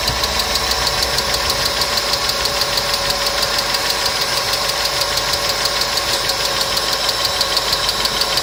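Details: Customer's engine at idle with noisy hydraulic lifters, started after an additive was poured in, which later cured the noise; fast even light ticking about three per second over smooth idle, hydraulic lifter tick.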